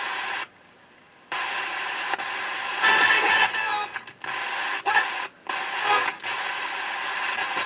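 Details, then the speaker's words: Harman Kardon 330C receiver: plain hiss cutting in and out while trimmer capacitor 201 is adjusted, and no FM station ever locks in; the defective tuning trimmer capacitor 201 prevents tuning the top end of the band. "I don't know if you can see what's wrong with that capacitor. If you look really careful, you might be able to notice what's wrong with it. And that's the reason why I couldn't get it to tune in."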